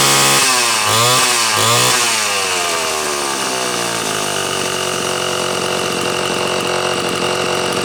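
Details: Homelite C-72 two-stroke chainsaw, upper muffler screw hole probably stripped and upsized to a 1/4 inch stud: a couple of quick throttle blips, then a steady high-pitched buzz that holds without stumbling; sounds pretty good, runs healthy.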